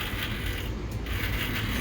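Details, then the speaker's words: Large format printer x-axis moved by hand: rough ratcheting rasp with an audible click as a damaged, compromised spot on the timing belt passes. "did you hear the the click so there's a there's an audible click and you can you can hear it"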